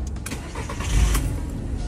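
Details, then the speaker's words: Car that would not start after refuelling, fixed after a valve letting too much into the intake manifold made the mixture too rich; started with foot on brake in P: catches almost at once and runs smoothly, music faint behind; problem solved. "perfect do you see it very powerful go ahead and have a look [Music] the engine runs very smoothly the problem has been solved"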